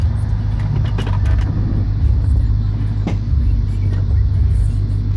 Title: Dakota R/T Popping Sound